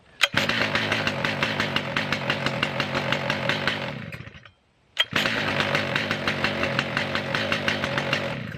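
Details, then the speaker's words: Stihl MS 881 Magnum chainsaw, warm: fires on the first pull and settles into a crisp, even buzz, then restarts instantly on one pull after stopping; easy to start cold and hot; normal start and running. "so yeah if you still wander and steel is way easier to start when it's cold and easier to start when it's uh hot"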